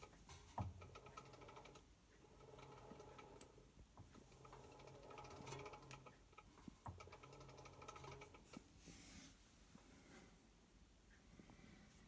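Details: Hotpoint BHWMD732 washing machine under 12 months old: light, irregular clicks over a quiet drum rotation, worse when spinning anticlockwise. Nothing is found stuck in the drum, and the cause is unknown.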